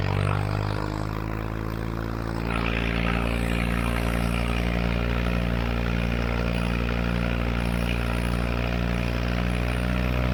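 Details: Tractor after a tune-up (hydraulic fluid and filter, spark plugs, O-ring, air filters) on a test drive in what the driver guesses is fifth gear: deep, steady drone holding even on a long hill pull, no misses or knocks; healthy under load.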